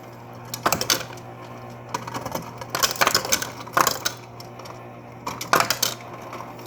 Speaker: It'll take a little bit longer to push that ice forward because the ice tray's not all the way full. But that's plenty of ice.